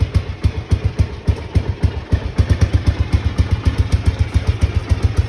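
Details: Honda XBR500 single idling with newly fitted universal Viper silencers (about 6 of 10 loudness): deep, punchy exhaust thumps about four a second, steady, moderately loud; normal idle.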